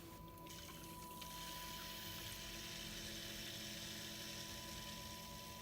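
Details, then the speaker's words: Watercooling pump run flat out on unregulated 12 V (usually regulated, normally quieter) in Core P3 build with PrimoChill Vue coolant: steady high whine with thin tone over fast-rushing water; pump loud at full voltage. "the pump is really loud because it's not regulated at the moment because I'm I'm feeding it off to 12 volts"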